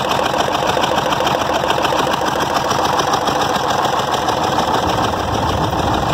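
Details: EDC engine that started misfiring; uneven lumpy idle, about three pulses a second with dropped strokes, water seen, intake valve suspected, head to be removed; misfire at idle.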